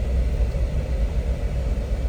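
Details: 2013 Jeep Wrangler JK after water pump and serpentine belt replacement, warming up while burping coolant: deep, low, steady rumble with no knocks, ticks or whine; normal idle.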